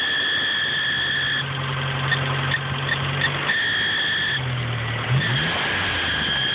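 A high, steady chirping squeal sits over a smooth idle and rises and dips with the engine; belt or pulley squeal, cause unknown.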